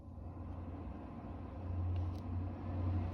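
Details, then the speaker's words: Toyota Tundra AJT trim, car on, after the HVAC climate control knob fix: blower comes on one click from off with an even, low whooshing hum that swells louder step by step. The fan runs smoothly; the knob is fixed. "Hopefully you can hear it getting louder."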